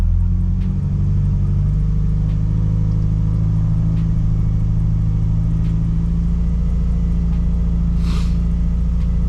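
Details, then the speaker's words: Subaru Impreza after new fuel pump assembly, replacing one causing bad misfire and loss of power: steady, even low idle with a couple of faint stumbles, possibly air in fuel system; idling smoother, fuel delivery restored. "well we'll give it a shot try and start it up idling smoother"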